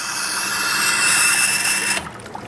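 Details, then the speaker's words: Shimizu PC-260 BIT jet pump with pressure tank installed: steady hiss of pump and water, then an abrupt cut-off to near quiet when the tap closes; normal automatic shut-off, the tank lets the pump rest. "nah pompa otomatis mati. Nah jadi seperti itu ya, pemakaian tangki ini bisa membuat pompa menjadi istirahat ya kalau kita mengalirkan air kecil seperti tadi ya."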